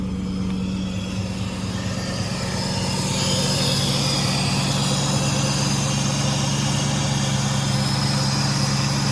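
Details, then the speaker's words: Car at a Copart auction, 39,000 miles, dealer serviced by Nissan, in neutral, heard from inside with the door closed, exhaust apparently stock. Smooth, even idle with a steady low exhaust note and no misses, ticks or knocks; normal healthy idle. "Let's take a look at it. It sounds like the exhaust might be stock."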